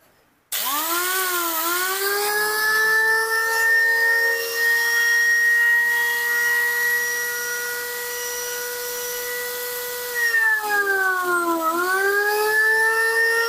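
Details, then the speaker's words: Makita grinder that overheated in use, after fixing a wrong bearing (607 fitted where 608 belongs): clean steady no-load whine, brief dip and recovery, no grinding or rattle; overheating considered resolved. "kalau dilihat dari suaranya suaranya seperti itu maka kemungkinan ee panas yang terjadi padaenda ini sudah selesai sudah teratasi"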